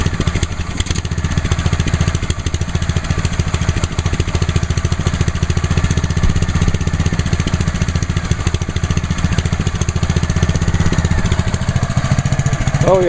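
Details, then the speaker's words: Ryobi 3100 PSI pressure washer, first start on choke: the small single-cylinder engine runs with an even, steady beat at constant speed, no misses or rattles, quite quiet. Normal running. "pretty quiet see you like I said with that title down the"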